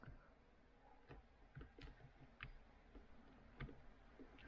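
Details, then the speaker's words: Toyota Matrix XRS sunroof: a few sharp, irregular relay clicks each time the open/close button is pressed, with no motor hum and no movement; windows, possibly on the same fuse, work; switch thought not to be the cause, owner suspects a faulty motor. "when I press the like open or close button you can hear a relay clicking on and off"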